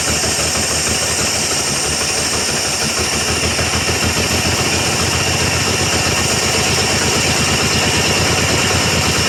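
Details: 1966 GMC half-ton with 250 inline-six, first start after sitting at least two years, tank full of mouse nests: loud, uneven, stumbling idle with hiss after a backfire; runs poorly, owner expects it needs timing work.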